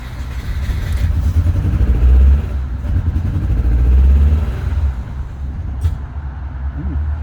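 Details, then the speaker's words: Car being diagnosed for sudden illness, run after disturbing the fuel system; low engine note surges and sags unevenly instead of holding a steady idle, much worse than before; owner suspects a failed coil pack. "That's interesting. That's worse. A lot worse. That sounds like a failed coil pack now."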